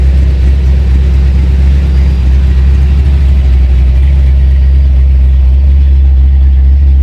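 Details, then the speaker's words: Fox Body Mustang V8 after DIY repair of capacitors on the ECU and reinstalling it; owner says it needs a tune. Deep steady V8 idle, slightly lopey low rumble, no knocks or misses: normal idle. "well I guess it's time to try the computer out I now got it installed so let's go ahead and just see if it a start start it up"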